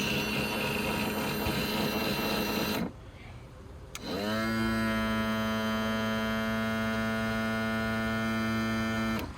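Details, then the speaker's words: 1995 Johnson/Evinrude J130TLEOA outboard on a 1979 Mako 20 ft, tilt/trim powered from a 12 V battery via jumper cable: motor whine drops out, restarts, then strains steadily lifting; low fluid and air in the lines. "Definitely sounds like we're fighting some fluid on the way up. I'll go ahead and get a video on a how to make sure we don't have any air in those lines and refill that reservoir."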